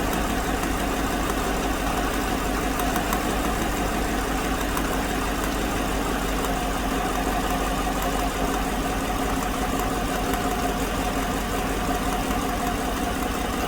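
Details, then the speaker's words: 2016 GM truck 5.3 V8 with AFM electronically deleted and new genuine GM lifters on bank 2, misfiring on number 6: faint uneven stumble under a steady idle rumble; number 6 lifter is defective and stuck. "you can see the number six intake valve deactivates when I energize the solenoid so that put that lifter is just stuck a defective new lifter"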